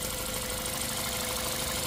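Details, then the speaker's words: Toyota Altis petrol engine after replacing all four fuel injectors, whose poor spray had caused shaking: now idles evenly with a steady hum and no misses or stumbles. "เครื่องก็จะเดินเรียบนะครับไม่สั่นแล้วนะครับอย่างนี้ก็ถือว่าใช้งานได้ปกติแล้วนะครับ"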